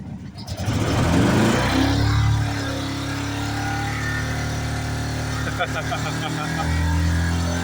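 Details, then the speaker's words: 2010 Chevy Colorado's original engine, worn and leaking oil, deliberately held at full throttle to the floor before an LS swap; steady strained roar that won't die, a worn engine run flat out. "This thing just won't die. This thing will not die. Oh my god. That's to the floor though. That's to the floor."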